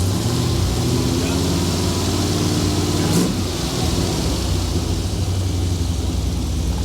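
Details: Abandoned 1970 Chevy Blazer V8 idling as the distributor is turned to advance the timing: steady, low idle with a slight shift midway; still sounds lazy, timing needs more advance.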